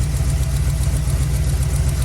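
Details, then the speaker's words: 1980s Chevy C10 454 big-block V8 at its first startup after a Holley Sniper EFI install, coolant at 111, target AFR 12.7: a loud, lumpy idle with fast ticking puffs on each firing pulse. Exhaust header leak heard; smoke is from fresh paint. "Got a header leak, I can hear it."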